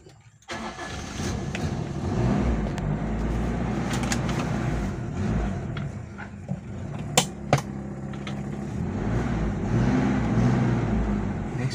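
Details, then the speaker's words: Toyota Kijang Kapsul after replacing and greasing the propeller shaft cross joints: road test pulling forward and reversing with only a couple of light knocks, and the earlier clunking knock on take-off is gone; normal driveline operation after repair. "Oke sudah enak ini teman-teman semua sudah tidak bunyi sebelumnya Pada waktu kita majukan atau kita mundurkan"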